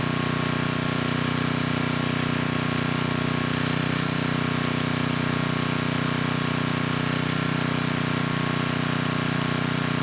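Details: 10hp Tecumseh HM100 on a 6000 W Western Hemisphere generator with a replacement Oregon 50-656 carburetor, choke off after about 30 s: steady, even single-cylinder hum at constant governed speed, no surging or misses. Normal running.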